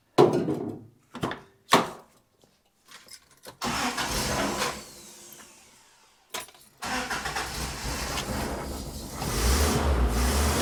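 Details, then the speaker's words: 1985 Toyota pickup, 22R engine, sat 7 years in desert; cranks, catches briefly, falters and dies, restarts running unevenly with surging, keeps stumbling; owner suspects bad fuel; sputtering and stalling. "Yeah. Oh, it just keeps doing that. It's probably bad fuel. That's my guess."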